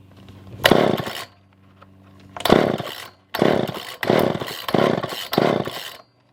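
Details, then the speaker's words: Older Poulan 2000 chainsaw, long unused, before carb clean and fuel line trim: bursts to revs under a second then sags or dies repeatedly; fuel starvation, poor fuel pickup suspected. "so yeah so i don't think that we are getting any kind of fuel any kind of real good fuel pickup"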